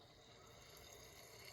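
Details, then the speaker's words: Vicks VWM845 warm mist humidifier on low, drawing 137 watts: soft, steady sizzle with faint bubbling like bacon sizzling, no rattles or buzz; boiling water normally and really quiet. "You can hear it boiling in there. Kind of sounds like bacon sizzling."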